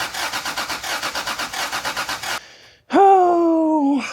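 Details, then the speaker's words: Toyota Supra rally car after reconnecting the unplugged distributor connector: steady starter chug about six beats a second, brief pause, then fires and revs cleanly; now has spark and starts every time. ">> Sparks, Mark. It starts every time. >> Every time."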